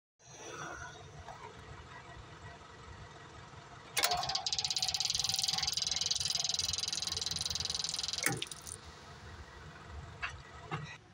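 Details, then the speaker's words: John Deere 304H loader that shut off and cranked without starting, after fitting a new 12V electric fuel pump: fast even buzz about three and a half pulses a second for four seconds; pump working, diesel now flowing. "that was it. We're going to see if this thing fires up now, but I'm almost confident because there was nothing coming out of there before."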